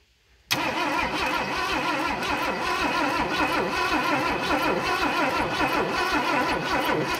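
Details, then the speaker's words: 1988 junkyard Ford F150 with 300 inline-six after new distributor installed: starter cranks steadily with even compression pulses but never fires; it was out of gas. "all right i was out of gas so we went to take the cap off"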